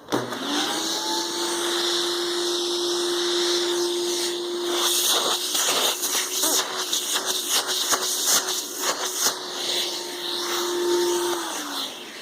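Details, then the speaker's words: Hoover Dimension 1000 power nozzle canister vacuum running: steady mid-pitched motor hum with strong rushing airflow, no rattles or pitch wobble; good power, healthy vacuum. "I'll turn it on let you hear the airflow on it and hopefully you can hear this video"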